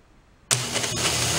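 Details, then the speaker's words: Electric starter from a free roadside snow blower that smoked and tripped the breaker, tested after disassembly, plugged in out of the machine: sharp kick-in then steady high whir with no grinding or stutter; starter working normally. "there we go cool all right so i think we have a possibly functioning starter"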